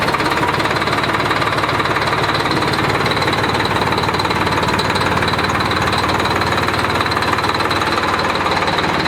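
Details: 1991 Freightliner FLD120 with Series 60 Detroit diesel, revived with just fresh batteries: heavy diesel clatter with a hard, uneven knock about four times a second; short rough run due to a bad injector.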